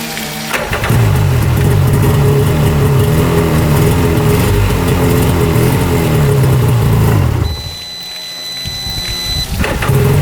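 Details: 1995 Tigershark jet ski two-stroke, first run after 20 years unused, out of the water, no choke: steady, even buzz that briefly eases off and picks back up. Running healthy.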